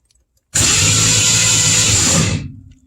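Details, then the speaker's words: 1962 Mercury Comet with a 302 V8 and a newly installed starter and battery: an even, fast starter whir for about two seconds that winds down cleanly; the starter cranks strongly and engages properly. "the starter spins over job done there so happy about that"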